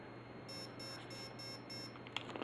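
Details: Align ESC programming, motor out of helicopter: five short evenly spaced high beeps over faint motor hum signal the fifth option, throttle response; set to quick with high stick.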